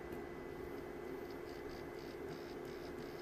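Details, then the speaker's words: Spindle motor from a Renault Modus radio/CD player that sticks on "CD loading," powered directly from a 5 V bench supply; faint, steady, even hum with no catching or grinding. Motor works fine, so the fault lies elsewhere. Normal motor run. "and it's working just fine you can probably not hear it but it is working"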